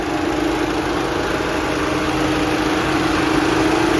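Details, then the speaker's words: 2014 VW Beetle Turbo GSR after cracked radiator dual cooling fan assembly replaced, engine running with AC on max: steady smooth whirring hum building as fans ramp up, no rattle or vibration; both cooling fans running healthy. "Now if you can see that, but both fans are running. They are not vibrating."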